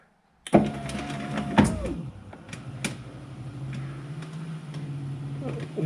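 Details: 2004 VW T5 Combi passenger-side power window: the motor whines and strains as the glass creeps, pitch sagging, then a low labouring hum. Slow, noisy window; cause unconfirmed, with a replacement cable and drum kit bought.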